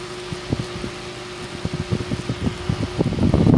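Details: 4-inch Massey fan, 4 blades, single speed, also over-revving: a steady faint buzz under the whir, with scattered ticks and rattles building toward the end.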